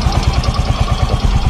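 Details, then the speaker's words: Yamaha Mio Fino 125 scooter idling: crisp, even metallic valve ticks keeping time with the firing, louder when revved; owner reports it is worse when hot after riding. Typical of loose valve clearance. "ya Tapi saat naik RPM dia terdengar lebih nyaring suara berisiknya gitu"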